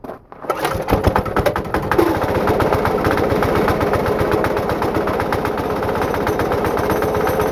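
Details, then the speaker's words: Diesel-engine air compressor build, flywheel and new belt fitted: rough shuddering chatter about four beats a second as the clutch vibrates and engages instantly, even at very low rpm; something is wrong with the clutch. "the clut is a little bit broken I don't know what's going on with that clutch but it like vibrates and starts engaging instantly"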